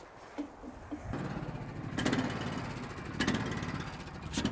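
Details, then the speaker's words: EZ Boardwalk sawmill small engine in winter, idle swelling and falling about once a second, revs hunting instead of settling; started over the winter, owner thinks the carburetor needs adjustment, unconfirmed. "now you can hear the the engine revving like that uh we think the carburetor just needs to be adjusted"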